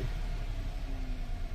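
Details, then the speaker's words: Car that stalled and would not restart, after replacing a fake fuel pump, idling after a one-click restart; steady low rumble with an even, clearly audible fuel pump hum, no misses or knocks, showing a strong pump. "Palatandaan na malakas yung bomba, yung ugong niya. Mga ganun. Rinig na rinig mo yan."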